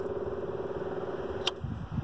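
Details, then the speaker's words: Onan QG 5500 EVAP RV generator after a fuel filter replacement: the electric fuel pump hums steadily for about 1.5 seconds, then clicks off. Normal priming, no leaks. "let's go ahead and fire up the genset see how she does yeah and trying this guy you can hear the old pump working away"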